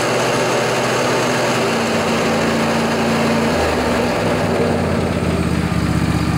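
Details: John Deere LA145 riding mower, Briggs & Stratton twin Intek engine, 48-inch deck, blades engaged on a cold 35°F morning. A rough rumbling drone comes from worn deck spindle bearings.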